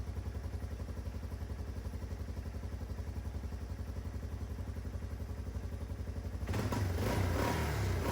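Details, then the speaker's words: 1995 Yamaha Timberwolf 250 ATV, fuel tap initially off; steady even single-cylinder thump about four beats a second, no misses or hunting, then revs out fully; carb not leaking, healthy idle. "Seems to be idling well. Carb's not leaking."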